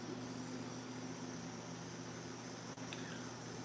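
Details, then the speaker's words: Melodysusie Scamander cordless rechargeable nail drill, 30,000 RPM, compared against an Erica: steady quiet high hum, no wobble, chatter or rattle; smoothness not hugely different. Normal running. "smoother smoother but you know what it's not a huge huge difference"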